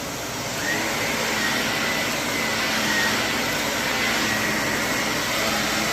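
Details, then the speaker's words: Shark vacuum (CU510 or NV60): steady motor roar with faint, irregular high-pitched chirps on top; squeak likely from the brush roll, which probably needs replacing. "It's gonna probably need a new brush roll. I can hear it squeaking."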